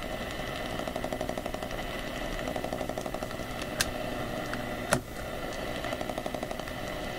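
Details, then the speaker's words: AM radio tuned to 1215 kHz picks up a steady raspy buzz with fast ticking about four a second and sharper pops; interference suspected from a USB hub's wall-wart power supply, source unconfirmed and frequency appears to shift. "I think it's actually the wall wart that's causing interference"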